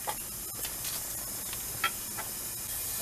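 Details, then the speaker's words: Leak-down test, cylinder at top dead center, engine off, checking for bent valves: steady thin hiss of air slipping past the piston rather than the intake, suspected piston ring sealing problem. "it is going there is passing through the piston because so it's going down there but that would be a ring problem that would be a the piston ring problem right there it's not a good seal it's not keeping the air in there"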